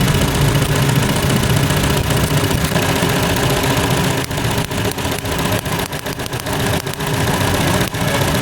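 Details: Hyundai Elantra (no-crank no-start job, computer box fault) idling unevenly, beat dropping out; leak at a coil makes spark jump to the side rather than the plug, causing misfire; two new coils bought to replace.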